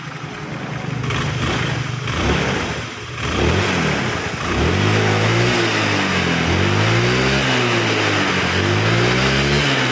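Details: Honda Vario 110 carburettor scooter after repair of a lacking-power complaint traced to the carburettor vacuum slide rubber: small single revs up and drops back cleanly several times, smooth and even, no misfire or hesitation; healthy.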